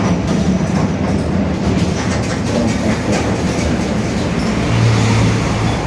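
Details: Marcopolo Torino S 2018 body on 2021 Mercedes-Benz OF-1721 BlueTec 5 diesel city bus, while driving: a steady low drone under road noise that holds with road speed, from a growling differential.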